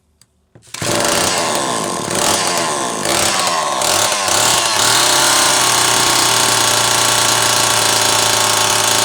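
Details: Zama C2002 carburetor from a McCulloch Pro Mac 800, tested on a 54cc engine with different linkage and no idle screw, so it won't idle; needles turned in about half a turn; starts, then steady clean high buzz; running fine.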